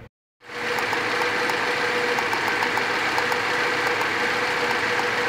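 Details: Engine misfiring at idle, tachometer needle jumping: an uneven, lumpy idle with irregular dips in rhythm, missing on a cylinder.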